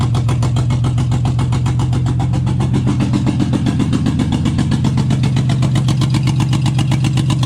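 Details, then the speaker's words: 2JZ engine swapped into a 4Runner, first start, no intercooler piping, not making boost: very loud raw blatting idle with an even pulse; exhaust venting from the external wastegate left uncapped. "that's freaking loud okay but it runs holy [ __ ] forgot to totally forgot to put that cap on so we got to get that on"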